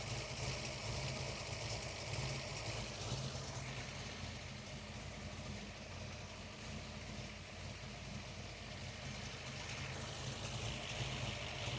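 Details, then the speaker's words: Ford Falcon V8 with lumpy solid cam after new water pump fitted, warming up with temp gauge rising: steady even burble, slight rise then settling, no knocks or misses; healthy idle. "Let's listen to this. That sounds so good. I One of my favorite parts of driving this car is cruising up to a red light and letting it idle at the set of traffic lights."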